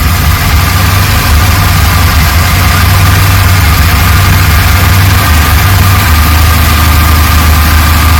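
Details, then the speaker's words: VT Clubsport after an engine rebuild, first start-up, with bigger injectors, airflow sensor disconnected and running rich on old cleaned plugs: loud, deep idle that stumbles with an uneven beat, like one cylinder dropping out; a misfire, owner suspects the plugs. "sounds like it's got a Mist doesn't it me but um it might be the plugs"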